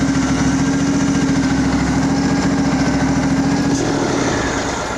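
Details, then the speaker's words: Craftsman riding mower, Briggs engine, given full throttle: uneven loping exhaust pulses that stumble and sag; owner suspects it is sucking air at the fuel filter. "Dies. It, like I said, it might be sucking air in that fuel filter."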